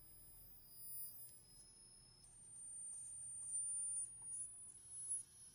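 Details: 1963 Montgomery Ward Airline Imperial console TV, Wells-Gardner WG-5974A line-operated chassis, sudden no horizontal/vertical with squealing, tubes test good, oscillator far off frequency; faint thin high whistle that jumps in pitch as the horizontal oscillator coil is adjusted.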